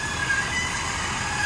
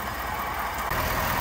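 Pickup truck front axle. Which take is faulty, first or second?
first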